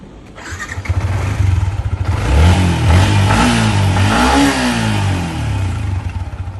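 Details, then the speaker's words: 2021 Yamaha Y15 secondhand motorcycle, 8,741 km, engine serviced with top set done: catches cleanly, even idle, then rises and falls smoothly through a rev with no knocks or rattles; normal start and rev, quiet and smooth. "ni masih senyap dan TikTok lah."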